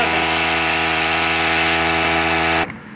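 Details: Poulan Pro 16-inch bar 35cc two-stroke chainsaw, 40:1 fuel mix, after a no-start fixed by refitting the choke and main throttle cable: high, steady buzz held evenly for a couple of seconds before cutting off; starts and runs cleanly.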